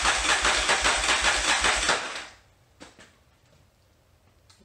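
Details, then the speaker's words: 1981 Yamaha XV920 motorcycle with a new starter and ground cable, fuel in the float bowls and plugs connected: steady, clunky starter cranking for about two seconds, but the engine never catches. Crank, no start; the owner plans a carburetor synchronization next. "still sounds clunky"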